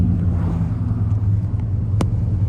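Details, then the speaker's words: Freshly rebuilt engine with a stage 3 cam on an unoptimized stage 2 cam tune, cruising at about 1500 rpm: deep, even rumble with no knocks or ticks and strong oil pressure; healthy normal running. "So it has amazing oil pressure. Not a sound coming out of this thing."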